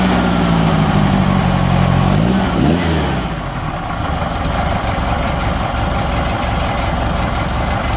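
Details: 1969 Baja Bug air-cooled flat-four idling with a quick rev blip: light rattle riding over the engine note, cause not pinned down.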